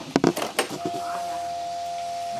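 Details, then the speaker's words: Honda Vario scooter that won't start, weak battery suspected, at key-on: steady mid-pitched hum about 1.5 seconds as fuel pump primes normally. "Oke dengung. Berarti artinya sudah ada perintah begitu ya."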